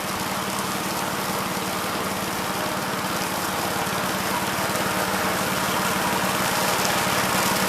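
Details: 1969 Gravely C8 walk-behind tractor after repair of no-high-range fault (drove only in low range, stop-and-go in high); morning start-up, single-cylinder petrol engine holds steady even beat, no knocks or misses; running normally.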